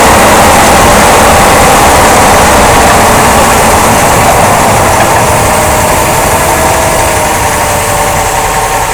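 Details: 2005 Jeep Grand Cherokee: steady, even thumping about four beats a second over loud engine drone, caused by a worn drive axle support rubber bushing and a bad front driveshaft universal joint, which was replaced.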